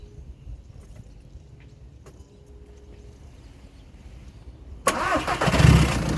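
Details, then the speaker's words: 2010 VW Polo 1.6 TDI diesel after fuel filter replacement and priming by cycling ignition: quiet, then catches promptly at about five seconds and settles into even clatter with no stumble; normal start. "there we go the engine starts I'm happy with that so that's job done"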